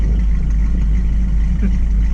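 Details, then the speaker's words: 1969 Mustang convertible V8 with modified exhaust: deep, steady, even rumble at idle with no misses or hunting; idle speed perfect, exhaust loud but not obnoxious. "the idle speed is perfect did the exhaust line is loud enough but not too loud there's obnoxious"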